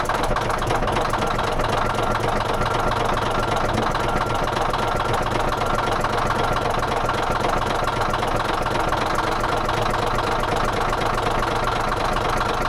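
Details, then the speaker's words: D9H dozer diesel at heavy idle with a hard rattling knock about four per second over the low rumble; bad knock at idle, cause unknown. "Do you want to hear this thing rattle? It rattles bad."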